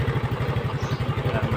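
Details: Yamaha Fino scooter that died while riding and wouldn't restart, after refitting the carburetor intake boot that had come off (air filter bolt broken, zip-tied); steady low putt-putt about nine beats a second, no stumbles or hunting; normal idle.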